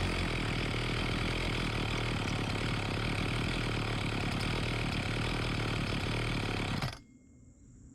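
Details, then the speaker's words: Homelite 4218C chainsaw on fresh fuel after its carburetor was tightened and its previously tampered screws were reset: a steady two-stroke buzz for about seven seconds, then it cuts out abruptly as the low-speed mixture screw is turned in, shutting off fuel. "now you saw when I turned this as I was turning in that shut off the fuel and it stopped"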